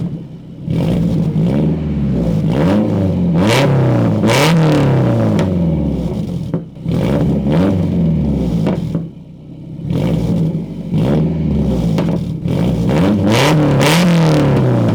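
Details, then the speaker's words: Nissan S14 with KA engine after a new exhaust gasket replaced one whose bolts vibrated off: starts and revs in repeated light blips, deep even note rising and falling cleanly, no ticking or puffing leak. "Let's go ahead and start this baby up and hear how she purrs. Maybe this will get you guys to appreciate the KA exhaust note, although it's still a truck engine at the end of the day."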